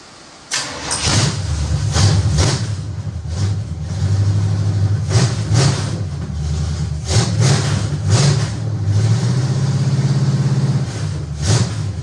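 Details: 1973 Chevy Nova V8, freshly installed engine, first start on a battery charged overnight; fires after a short crank and keeps a deep, steady rumble with light throttle blips. Normal engine start.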